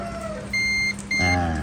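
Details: Guitar with a black-plated bridge, checked with a multimeter after scraping the plating where the ground wire contacts it: two short, steady high beeps as the probe touches the bridge hole. Continuity is confirmed, so the ground path to the bridge is good.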